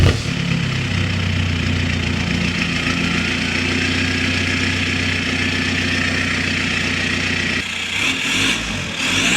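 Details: 1.9 TDI diesel just fitted with a straight-pipe exhaust, started on the ground; loud, deep, raspy drone at idle with even firing and no knocks, then a short rev. The pipe was poorly mounted and transmits vibration into the cabin.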